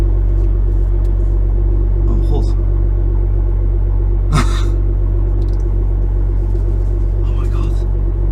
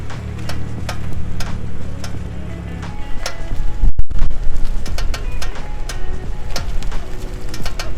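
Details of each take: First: BMW M2 front suspension while turning slowly after wheel bearing bolts, brake caliper bolts, pinch bolt, top strut mount bolts and friction discs were renewed and the inside of the wheel was cleaned; low even road rumble, earlier clicking now gone. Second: BMW M2 front suspension: sharp irregular clicks as the steering turns, at very slow speeds when cornering and when turning the wheel at standstill, with music over the top; before the repair.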